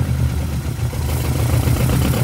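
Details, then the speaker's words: VW Gol GTS, first start after flood, sump water drained, fresh oil, waterlogged ignition module dried, test plastic coil fitted: steady low idle, even beat, slight tappety clatter, no misfire or knock; normal. "e é isso aí tá aí a dupla até que funcionou bem se você soltar ele vai ficar ligado vamos ver"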